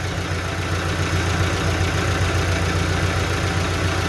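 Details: Evotech 2.7 engine (GAZelle) at idle: steady knock about three to four beats a second over engine hum; traced to damaged valve seat in the head.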